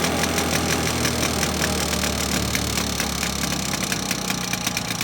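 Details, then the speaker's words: 1980s Victa two-stroke lawn mower right after a new spark plug, started first pull: crisp, rapid ticking at an even idle, steady firing with no misses or hesitation; runs normally. "so there you go folks as simple as popping a new spark plug in and this victor two-stroke lawn mower from the 80s started first pull there"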